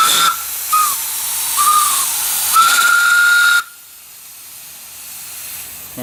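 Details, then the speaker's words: Wood-fired (fir) steam boiler with the fire hot: short whistling spurts, then a loud continuous hissing whistle before it snaps shut. The safety valve is lifting at pressure; it probably went off around 120 last time. "I think it was around 120 it went off last time."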